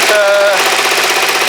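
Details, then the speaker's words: Kawasaki GPZ500S warming up, not yet at temperature: even steady firing, no misses or stumbles; owner thinks the spark plug was the issue, though vapour still comes off it. Running smoothly. "yeah it's um it's running just sweet lovely maybe it was just the plug that's all it was"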